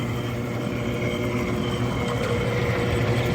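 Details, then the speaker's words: Freshly rebuilt Clipper Super 47B grain cleaner, unloaded, no screens or rubber balls: steady motor hum with soft rhythmic shoe shake about three per second, no growling or irregular noises; normal running. "the motor hums right along I don't hear any growling or any irregular noises"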